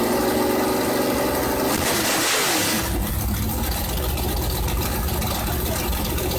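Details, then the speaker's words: Rally project Camaro, started with no exhaust or O2 sensor: it cranks, catches and runs unevenly with a loping, stumbling beat at fast idle before shutting off; owners suspect it ran out of fuel. "well I didn't expect it to shut off but we might be out of fuel"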